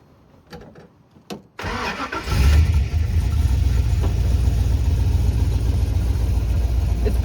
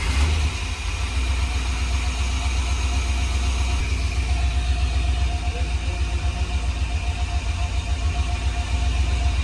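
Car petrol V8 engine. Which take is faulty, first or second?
first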